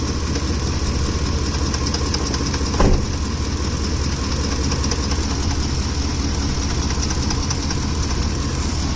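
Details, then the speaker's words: Ford F-150 3V Triton V8, hot at idle: quick, light ticking clatter over a low rumble from the top of the engine, with the engine shaking; cause unknown, possibly a camshaft problem. "Noise up in there, top of the engine. If you have an idea what it is, let me know. I don't know what this is."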